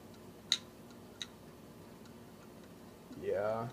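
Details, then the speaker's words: iBook G3 Indigo clamshell, 366 MHz, about 21 years old, at power-on with chime and backlight working. Two sharp isolated ticks about 0.7 s apart in a quiet room: the head-clicking of a dead hard drive. "green light and we have a chime and a worse sounding hard drive but we do have a backlight so all is good but yeah something's up with these drives"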